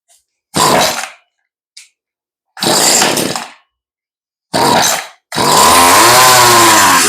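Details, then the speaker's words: Stihl string trimmer that sat outdoors, just fitted with new fuel lines and a rebuilt carburetor: raspy two-stroke sputters and dies in short bursts, then catches and runs unevenly; mixture seems off, carb adjustment needed. "promising okay we probably have to adjust the carburetor a little bit"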